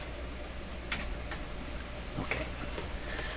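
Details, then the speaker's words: Dual 1009 record changer in a Clairtone console, sweeping the four tonearm contacts while cleaning them: a few sharp irregular clicks over a low hum, heard in left and right channels, so the signal path is good up to there. "so there's four contacts and i'm just kind of sweeping through them and you'll hear as they hit different contacts the left or the right you'll hear it so that's in my my right ear that's in my left ear so what that tells me is that everything is good right to here"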